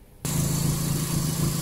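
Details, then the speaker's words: Suzuki Swift after the throttle body was removed and reinstalled to fix a high, erratic idle: the engine catches and settles into a steady low hum with no misses or hunting, rpm dropping; the torn intake hose should be replaced. "Nah, udah kepasang ya. Ini RPM udah mau kecil."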